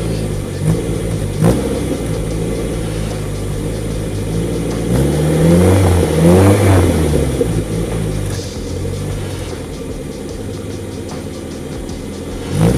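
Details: 1989 Austin Mini 30, stock 998cc engine with electronic ignition, standard exhaust, about 70,000 miles: revs up and settles back several times, even clean exhaust note, no knocking or misfire. Normal engine revving.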